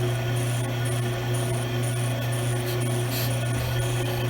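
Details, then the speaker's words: Hunter bench brake lathe resurfacing a disc brake rotor: steady motor hum under faint light metallic scrape as the cutter bit just contacts the rotor; cutter depth set to light contact. "I'm going to turn my adjustment knob to the right so I just barely make metal contact and you'll be able to hear it"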